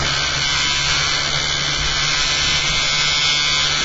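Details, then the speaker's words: Motor-driven rig after fitting a new eccentric bobbin and magnet holder, run with cores removed: steady high-pitched rattling buzz over the motor drive; something vibrating, source not yet identified. "just going to start it again without these cores in to see if the rattling's disappeared."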